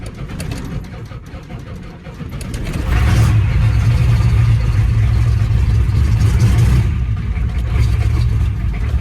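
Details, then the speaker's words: 1989 Ford F250 diesel after injector work and glow plug relay disconnected, ground wire badly worn: sluggish, labored cranking over two seconds, then catches on ether and roars up; slow cranking, hard start, fuel pump and line to be replaced. "That's such a slow crank with some ether. If I didn't have any ether, I'd be completely screwed."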